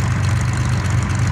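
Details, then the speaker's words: Corvair-powered buggy, warm, idle lowered from the high break-in setting: a steady, low, even idle with a smooth beat and no knocks or misses. Normal warm idle. "the idle's fine I turned I turned the idle down you said a month or so ago the idle was set High which I did purposely set it high just cuz the engine was breaking in uh but I set the idle down still could be set down a little more"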